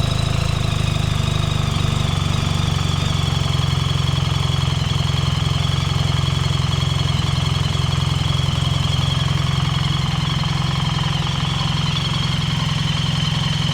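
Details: BMW R 1300 GS boxer idling after dealer repair (valve clearances rechecked, cams and timing chains fine), right-hand side now smooth and even with no rattling or metallic noises; normal idle.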